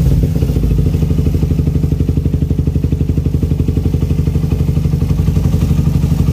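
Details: Suzuki Satria FU with racing exhaust, after carburettor rebuild, pilot jet changed from 12.5 to 17.5 and exhaust leak fixed: deep, even exhaust thump, steady and smooth with no misses or rattles; carburettor running properly.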